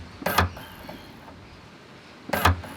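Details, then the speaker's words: Electric tailgate latch motor triggered through a newly spliced inside momentary switch, twist-and-tape test wiring: two short, crisp whirs, each ending in a latch clunk, about two seconds apart. The release actuator works properly from the added switch. "Now this is a plug and that'll run down to a momentary switch, and when we press that we should be able to hear the motor go off."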